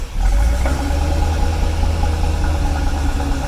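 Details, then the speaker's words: 1982 Corvette with Crossfire fuel injection, running badly and sputtering: low lumpy idle sagging and wavering as it settles, struggling to hold revs; unstable idle, cause undetermined, door lock pin rattles from rough running. "is trying like crazy to keep an idol there's a couple things on these crossfire cars that go wrong"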